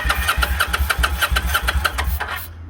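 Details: Kawasaki Vulcan 800 motorcycle with starting fluid sprayed in and a smell of gas: fast, even starter cranking at about five beats a second stops after two and a half seconds, and the engine never fires.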